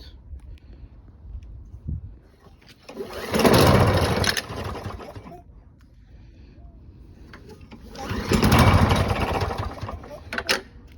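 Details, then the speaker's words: Lawn Boy 20-inch self-propelled mower: two pull-start attempts, each a brief churning burst that dies without catching. Cranks but won't start; the carb was found wet and oily and is to be cleaned. "So I got this more and won't start. It's trying to start but it won't, so now I have to clear around the carb and make sure nothing goes in there, and then I'm gonna pull the carb out and try to clean it."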